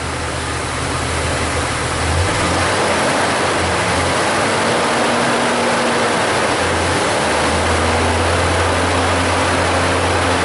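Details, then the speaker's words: 2000 Jeep Cherokee Classic 4.0 inline-six, about 130,000 miles, after repairing the cylinder 6 misfire and resetting codes: steady, even idle with a smooth low hum, no stumbles, misfire monitors staying at zero; normal idle. "all we got left to do now is just reset the codes come back in here to our misfire monitors I'm staying right at zero so that's good"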